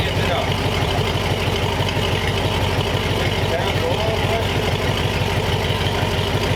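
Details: Warm replacement flathead V8 (35/6 block) for 1934 Ford on a run stand, idling with a shop fan blowing, holding about 180–185°F after 22 minutes; steady low burble, no knocks, ticks or misses under fan hiss; normal idle.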